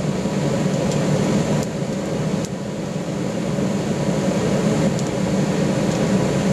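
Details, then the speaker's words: Gravity-fed waste-oil burner with small blower in a pot belly stove conversion, just after easy startup: even low roar of burner and fan with a few faint sharp pops as moisture cooks off during warm-up; running nicely, normal. "that's well and truly off and running quite nicely real nice easy startup with a uh a bit of excitement with a bit of a pop to let you know it's on its way"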